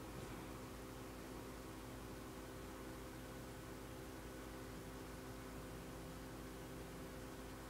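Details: Dell Latitude D610 laptop: steady, even fan whir with faint hum and no change; fan runs but laptop won't boot, cause unknown.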